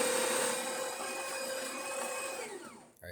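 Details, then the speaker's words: DeLonghi Magnifica bean-to-cup machine after full service and encoder reset, test short coffee: steady even grinder whine at constant pitch, then smooth spin-down as the brew unit hits its switch; normal grinder operation. "It's going to hit this switch, so it stops the grinder, or stops the brew unit from pushing all the way up."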